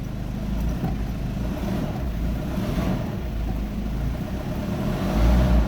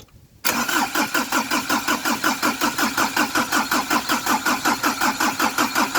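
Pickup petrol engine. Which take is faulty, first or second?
second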